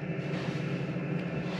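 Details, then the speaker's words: 2KW diesel heater in a VW T6 camper after switch-off: heat and fuel cut while the fan runs on to cool the unit and prevent overheating; steady low blower hum slowing down, no pump ticking; normal cool-down run-on. "the fan still is going just to cool cool the unit down just stops it from overheating yeah i can hear the fan getting slower"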